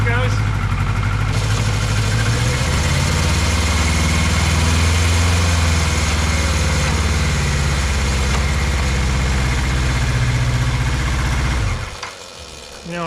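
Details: 1982 Kawasaki KZ1000 LTD sat about 35 years, after carb work, warmed up: deep, even four-cylinder burble holding steady about twelve seconds then shut off; only fires on all four once warm, choke circuit issue suspected.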